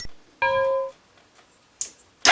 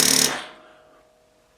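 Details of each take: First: Yamaha Grizzly 450 ATV with new battery replacing a 7-year-old one that showed 12.5 V but lacked cranking amps; quick, strong cranking catches promptly and runs evenly before shutoff; battery was the issue. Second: Yamaha Grizzly 450 ATV with 7-year-old battery still showing 12–13 V: starter button gives a short burst of rapid chattering solenoid clicks, no cranking; owner suspects weak battery can't hold the solenoid in, not the solenoid itself.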